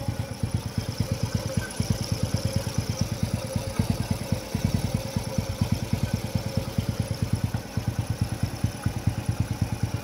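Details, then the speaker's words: Engine idling after the timing chain tensioner is refilled with oil: steady, even thump with no chain rattle or clatter, timing chain properly tensioned. "At yan, tahimik na ulit, nawala na yung aligas-gas na tunog ng makina. Goods na yung tension ng timing chain."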